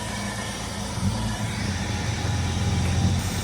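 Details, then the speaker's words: Jeep Cherokee cold start after sitting 5 years on old bad fuel: steady, quiet low rumble at idle with a slight rise in the middle, no knocks or misses; battery at 14 volts, oil pressure present, runs healthy. "bro after 5 years that's crazy and it's quiet healthy what the hell woo talk about a cold start he no way 5 years 5 years and it's quiet as a whistle with old bad fuel"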